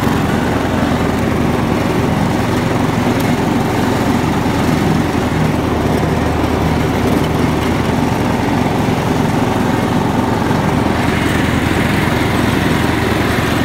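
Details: John Deere LX172 lawn tractor with the PTO engaged after fixing a bad PTO switch and fuse: a steady, even engine drone with the blades whirring, no misses or surging; it runs healthy under load.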